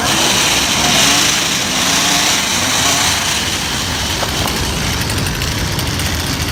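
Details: Two-stroke weed eater after replacing ignition coil, spark plug and carburetor mesh to cure no-spark no-start; high buzzy note holds smooth and even without stumbling or cutting out; running properly.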